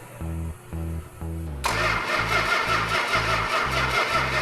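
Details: 1971 Dodge Challenger R/T 440 with original six-pack carbs on a run stand, oil pressure and fuel pump on: starter cranks in even pulses about two per second, never catches; no spark, traced to a faulty coil.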